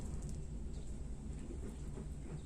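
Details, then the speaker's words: Paintbrush held close while wetting out a polyester fibreglass repair patch on a hull: quiet, soft low rumble with no snapping or crackling, indicating well-consolidated laminate without air bubbles. "Okay, I'm gonna try and get this close so you can hear the paintbrush, right? Hear very little noise, right?"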